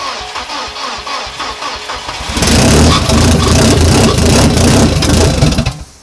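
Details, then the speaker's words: Volvo 740 after fitting a new engine, first start after difficulty: starter turns briefly, engine catches and settles into a loud, even run with no knocks or misses; the starter motor still gives problems. "motor arranca como pudisteis ver en el vídeo va bastante bien"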